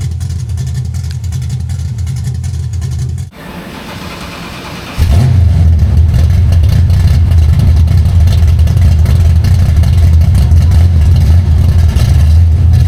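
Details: 1965 carbureted car, carburetor without choke, cold start at about 29°F after sitting outside in snow: deep idle, short pause, then catches and settles into steady strong even run with no misses; normal cold start.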